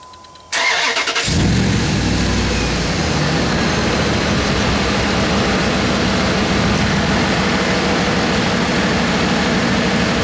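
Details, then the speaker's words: Dodge Hemi V8 after new serpentine belt and tensioner: crank, catch and even idle, no chirp or squeal as AC compressor kicks on; belt holding on all pulleys, normal start and idle. "I'm going to start it up real quick make sure we don't jump off any of the pulleys"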